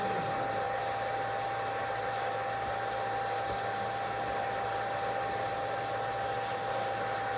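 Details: REGEN-I BK-I300 BGA rework station, upper hot-air heater running during chip-off on a large circuit board: a steady, even airy hiss with a faint thin tone and no surging. This is normal.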